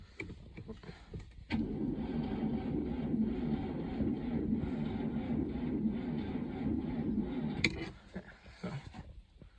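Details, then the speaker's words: Vehicle with a faulty ignition switch and a suspect starter: a sluggish, uneven starter chug that never catches, cranking slowly; a starter believed to be the old one later spun slowly on the bench and didn't return. "couldn't really film it because uh i needed two hands for this but uh she cranked over it was slow but she did it"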